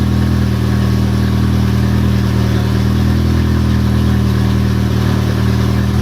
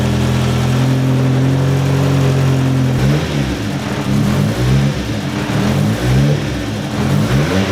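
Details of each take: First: Car engine just restarted after the oil pan was pulled and the rod caps checked over a knock that seemed to worsen (no bad rods found), downpipe disconnected, still cold: a loud, deep open-exhaust rumble with only a faint light slap. Light cold piston slap, nothing concerning. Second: Turbo petrol engine warming up after the oil pan was pulled to look for a knock and refitted with reused gaskets: steady idle and clean revs, only slight piston slap that goes away once warm.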